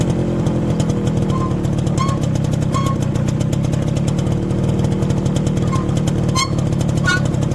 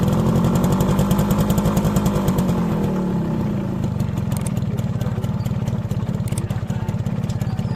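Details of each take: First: Motorcycle with newly replaced rear drum brake shoes: short high squeaking chirps every second or so from the rear wheel while riding, over the engine note; dirty new shoes are squeaking. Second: Motorcycle after fixing rear drum brake noise that followed new brake shoes, with the drum cleaned and the springs lightly greased: the single-cylinder engine thumps along evenly with no squeal or scrape. The rear drum brake now runs quiet.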